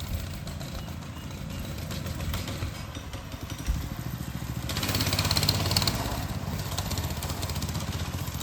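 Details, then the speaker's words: Motovox mini bike small single, test ride after the worn centrifugal clutch was fixed, with the choke on: coughs and stumbles, uneven wavering revs and a brief louder surge, then it dies; rough running blamed on the choke. "It's kind of horrible. Choke's on. Choke will do it."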